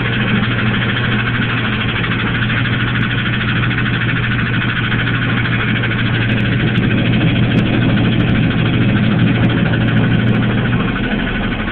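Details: Engine idling with a steady low drone and a loose, uneven tapping about three per second; owner suspects rod knock, noise seems to come from the transmission area, source unknown.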